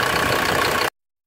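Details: 1991 Ford Explorer turbo diesel, sat since July 2016, started after fuel priming and battery charging: under a second of steady rough diesel idle clatter; cold diesel idling normally.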